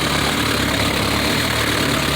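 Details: 1960 Mercedes-Benz 190D diesel after it suddenly stopped, now with worn original straps replaced by new ground straps and battery terminals: steady idle clatter with no stumbles or dropouts, holding speed evenly.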